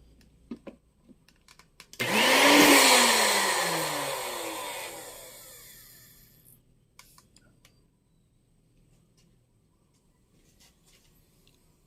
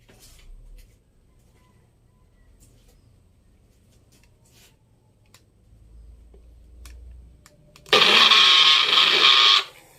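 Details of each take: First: Magic Bullet blender tested without the crossblades fitted, after plug checked for a short: high clean motor whine spins up, holds a few seconds, winds down evenly; motor working fine. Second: Magic Bullet blender with crossblades refitted: short burst of high rattly whirring with no steady cutting note; crossblades loose and not turning, causing the noise, so the blade assembly needs replacing.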